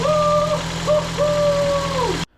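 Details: 2017 Ford Escape, first start after swapping in a replacement engine for one that knocked from oil starvation, oil pressure primed beforehand: it settles into a smooth, steady idle with no knocking, and a brief whistle rides over it before shutoff.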